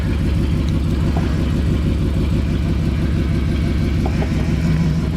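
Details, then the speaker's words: 1999 Jeep Grand Cherokee 4.7L V8 with a known misfire, first startup after replacing all spark plugs: a low, uneven, lumpy idle burble that doesn't settle. Still running rough; cause not confirmed. "remember it was misfiring that we know of in one of the cylinders somewhere and we just did all the spark plugs and here's the first startup"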